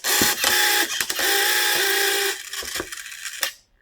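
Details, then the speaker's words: 1984 Tamiya Mitsubishi Pajero Dakar Rally RC truck, vintage restoration, held together with screws half in: harsh buzzing grind in short bursts each time the steering is driven; steering servo gears grinding, possibly misaligned, cause not confirmed. "Right, I'm going to have to put the screws back in. See, that's steering, grinding."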